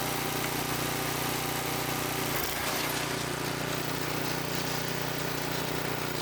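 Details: Small single-cylinder tiller engine idling in neutral after about 20 years sitting, once fuel was added; steady, even putter at constant speed with no misses or knocks: normal idle.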